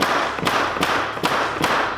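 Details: Framing nail gun that wouldn't fire, after cleaning dirt from the rear air section: four sharp, crisp air-driven bangs about every 0.4 s, each firing clean and even; nailer cycling normally, fixed.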